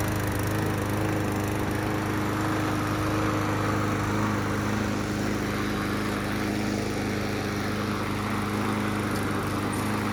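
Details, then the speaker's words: Yard Machines walk-behind mower (trade-in) after a new blade was fitted to cure vibration: a smooth, constant hum with no misses, surging or rattles; a healthy, even-running small engine. "All right, just replace the blade. See how it runs now. Much better."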